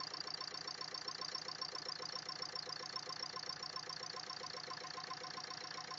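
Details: Sharp, steady knock about 220 times a minute over a quiet idle, a clear top-end knock from inside the engine; owner suspects valves hitting the pistons, not confirmed.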